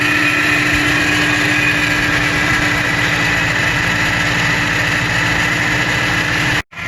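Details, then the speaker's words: 1986 Subaru GL, revived after a decade sitting, with choke partly closed, after a drive: steady even idle with loud raspy unmuffled exhaust and constant hum; muffler blown out. "it moves it stops it has brakes the mufflers blown out but it sounds pretty freakin badass"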